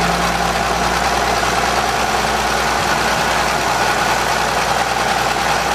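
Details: 1920 Seagrave fire engine, exposed and freshly rebuilt, on its first run in 60 years with the compression release off: a loud, even idle with a constant low rumble and steady pulse, and no tapping on top. It runs cleanly.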